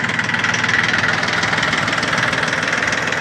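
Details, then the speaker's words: Yanmar F13D 13 hp Japanese diesel mini tractor with rotary tiller, 778 hours, glow plug preheated, idling in neutral: a steady even chug at about three beats a second with no extra knocks or rattles, healthy idle. "пожалуйста работает ровно без лишних Шумов"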